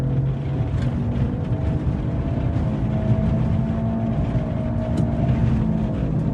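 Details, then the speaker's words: Tata Tigor EV while driving, disturbing deep drone and growl from the rear, like a motorcycle engine, appearing above about 30–35 km/h. "तो जैसा कि आपने सुना ना इसमें आवाज आ रही है। ऐसे लगा कि कोई पीछे मोटरसाइकिल का इंजन फिट कर दिया है और जैसे ही गाड़ी 3035 को पार कर रही है ना तो उसके बाद इसमें ये साउंड आ रही है और मतलब काफी डिस्टर्बिंग साउंड है।"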